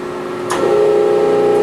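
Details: Kennametal Extrude Hone EasyFlow 200 abrasive flow machine on auto start, 100 cubic inch process volume, 3 cycles, bottom cylinder advancing: constant-pitch hydraulic whine with brief hiss at cycle start; running smoothly.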